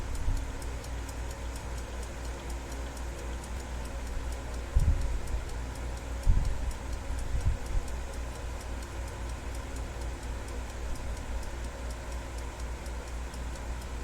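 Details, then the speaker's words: Westclox Big Ben alarm clock after repair, hands being run around to check clearance: crisp, evenly spaced ticks at a steady fast beat, with a few handling bumps midway; movement running healthy. "Now we'll run this around again. Make sure everything's clearing. Still ticking, which is a good sign."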